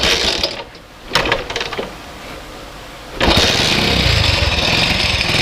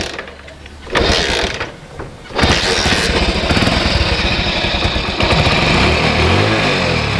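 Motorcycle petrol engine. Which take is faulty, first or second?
first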